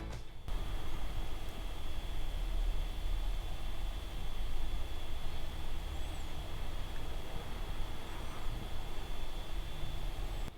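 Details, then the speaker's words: Dell XPS 15 9510 (2021) laptop running Geekbench: soft steady fan rush with a thin, constant high-pitched whistle/squeak over it under load, quieter than the 2020 XPS but present; whistle source unclear. "It's not that loud like in the past, like with the old Dell XPS 2020, but it is there, like that whistling sound that's making the pitch a lot more higher than it would be without that squeaky sound."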